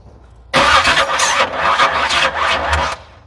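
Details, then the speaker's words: SBC 383 V8-swapped S10 Blazer with MSD ignition on about 100-octane fuel mix, first test fire with temporary wiring: starter cranks into a ragged two-second burst, V8 tries to catch but doesn't settle; owner suspects too much ignition timing. "try something is definitely happen happening trying to happen kind of sound like might have been a little too much timing so back it down a little bit"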